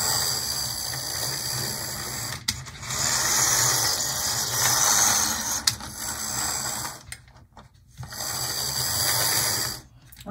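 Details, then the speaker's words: PlayArt HO model locomotive drive: high, buzzy whirring that cuts in and out; the whole gear set is noisy and looks very dry, and the owner suspects slop between the teeth, doubting lubrication would help. "it sure is the whole gear set is noisy though and i doubt even lubricating them they look really dry"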